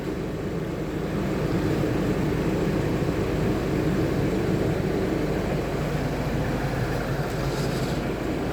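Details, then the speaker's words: Isuzu D-Max 1.9 diesel with 104,000 miles, used for towing, after a crank no-start and an oil and filter change to clear tar-like sludge: settles into a steady, even clatter with no misses, knocks, surging or smoke, and no codes. Running normally. "no smoke like I said we've got no no engine management lights it had no codes not one not one code in it"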